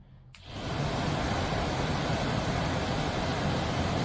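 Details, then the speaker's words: 1969 MGB heater blower motor, stored since 2001, run on the bench after oiling the shaft: it spins up sharply, then runs steady with a thin high whine over the rush as the oil works up the shaft; blower motor bearing whine. "There it goes. Hear the whine. Just as the oil was working its way up the shaft, it started whining at me."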